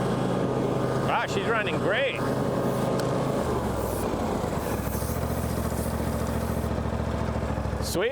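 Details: Low-hour John Deere X350 riding mower, revived after sitting in a warehouse for several years, test-run outdoors in the yard: steady, even engine drone with no misses, knocks or surging. Running smoothly and healthy.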